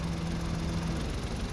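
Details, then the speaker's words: Suzuki DA64 with K6A three-cylinder, previously misfiring badly, after fluid treatment inside the engine raised compression from 130 to 175 PSI, equal on all three cylinders: steady, even idle with smooth low thrum, no stumble or skip; engine now very smooth. "Ayan. Engine start. Yung makina ay sobrang smooth na."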